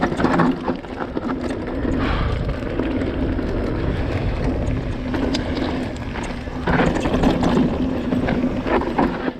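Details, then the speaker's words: 2020 Vitus Sommet CRS mountain bike on a dirt trail, recorded on a chest-mounted GoPro, after the internally routed cables were sleeved with wiring loom. Only tyre roar and wind are heard; the cable rattle is gone. "there we go, guys. Completely different. No more noisy, horrible rattles, which drives you mental."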